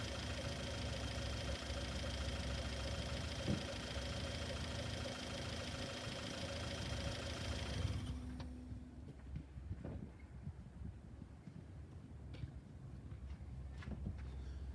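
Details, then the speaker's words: Four-cylinder engine at idle checked with Steelman clip-on microphones: even idle with no ticking or tapping before shutoff; no broken valve spring or other valve train noise; normal idle. "this car does not have a any any um any noises that are abnormal like a you know a broken valve spring a valve issue anything anything valve train related"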